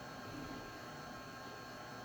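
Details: InFocus IN1 G-300WW projector after repairing a no-power fault (LEDs blinking twice, power button unresponsive), powered on: quiet, even airy whoosh with no rattle or pulsing; the cooling fan is running smoothly.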